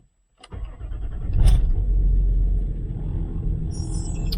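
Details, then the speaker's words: Land Rover Discovery 3/4 TDV6 diesel, cold start in extreme cold after cycling glow plugs several times: starter cranks at least two seconds with slow uneven churn before catching into a rough cold idle; glow plug check. "what you guys may have noticed is how long it took to start the vehicle it cranked at least two"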